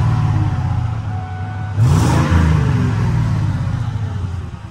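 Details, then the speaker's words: Ford F-150 Harley-Davidson edition V8, auction truck: blips and drops back with a lumpy, uneven exhaust beat; dropping a cylinder, bad coil, spark plug or plug boot suspected, not confirmed. "so we've got an engine Miss fire uh it's dropping a cylinder like it's got a bad coil or bad spark plug or or spark plug boot there"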